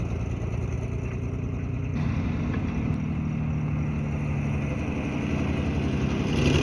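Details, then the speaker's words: 1951 Dodge old six-cylinder: steady low, even beat with a slight rise in speed near the end; oil burning off the headers or valve covers, generator not working; normal idle. "Burning some oil off the headers or the valve covers for sure, but it is running."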